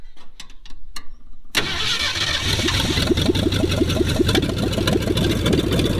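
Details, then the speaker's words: 1966 Ford Mustang 289 V8 barn find sat over 20 years: fast steady starter churn about three and a half turns a second, never fires; owner unsure the mechanical fuel pump works, may add electric pump. "so i'm just gonna keep cranking and cranking hopefully it's going to work if that don't work then i'll give it a shot maybe just fuel the fuel or som"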